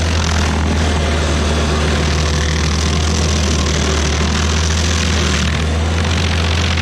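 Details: Stump grinder's first job after a motor rebuild (piston cleaned), grinding a willow stump: deep, steady engine drone holds even speed under load with no misses or knocks; runs healthy. Leftover oil on the heat shield cover burnt off.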